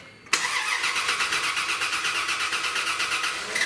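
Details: 2001 Dodge Dakota, long-sitting with bad-smelling old fuel, first crank: starter spins the engine at a brisk, even seven or eight beats a second with no dragging; normal cranking.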